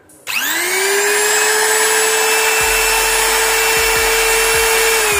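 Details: Electric wood trimmer (router) after repair, with carbon brushes reinstalled: spins up quickly to a clean, steady high whine with no rattle or sputter; motor runs normally.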